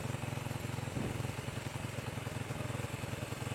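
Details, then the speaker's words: Motorcycle with newly replaced carburetor that still drips fuel: uneven, lumpy idle around three and a half beats a second with irregular stumbles; carburetor not set up, air screw fully closed; fix is adjusting for highest RPM. "setelannya nggak enak ya, suaranya grebet grebet grebet gitu ya."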